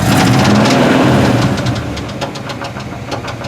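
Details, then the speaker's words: 1973 Chevrolet C10 350, 4-speed manual: steady, sharp knocking about 3.5 per second over idle, varying, sometimes calming or vanishing; seller says bad rod bearing, owner unsure; engine knock. "does a little bit of a rattle. Yeah, I'm not sure what that is yet. He said it's a bad rod bearing."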